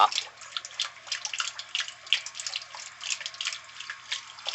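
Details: Whirlpool top-load washer with 360 agitator, in test mode: steady hiss and splash of water filling the tub, no hum, buzz or knocking; fill working normally.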